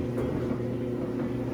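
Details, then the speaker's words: Samsung dryer after a drum felt seal repair, test run after reassembly: low, steady drum hum with only faint light taps and no rhythmic thumping or bumping; dryer now runs quietly and normally. "It's so nice to just hear quiet once again cuz that bumping was driving me nuts, guys."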